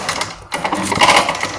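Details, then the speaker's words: Red Max two-stroke leaf blower, loud when running or pull starting: fast, choppy rattle over the engine buzz, rising and falling with throttle; blower fan loose or bolt holes worn so fan vibrates, piston and motor fine. "that fan actually either came loose or the holes that it's uh that the bolts go through they widen over time and the fan is vibrating inside which gives it that sound"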